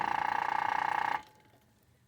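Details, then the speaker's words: DIY electric motorcycle controller and motor test, running in reverse via reverse wire: loud steady high whine with fast buzzing flutter for about a second, then cuts off; motor noisier in reverse, cause unclear. Motor whine in reverse. "but uh it makes a noise and i don't like that noise you see there should be reverse here motor is more noisier and that's the top speed"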